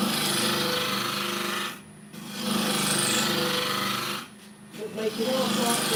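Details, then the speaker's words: Turning an olive ash bowl on the lathe: steady rasping cut with brief drop-outs where the tool crosses small checking (cracks) in the wood, causing the noise change. "oh yes I'm going there I can hear it's going woo get in so that's that's where the the noise change is coming from their little bit of checking"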